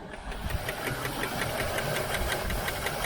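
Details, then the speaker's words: 1978 Chevy El Camino SS, one owner, first start after sitting about 20 years: light quick ticking at about three per second over a rough idle; lifter noise on both sides, which may quiet once oil pressure builds. "a little lifter noise little lifter noise on the other side we'll see if that comes down once the oil builds up"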